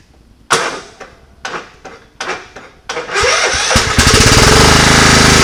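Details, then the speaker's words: Scotts riding mower after cleaning pine straw out of the clogged fuel filter and fixing the starter wiring: several short cranking bursts, then it catches with sharp pops and runs rough; runs on its own but backfires through the carburetor. "now fuel is getting to the carburetor and I can get it to run on its own and stay running but it was back"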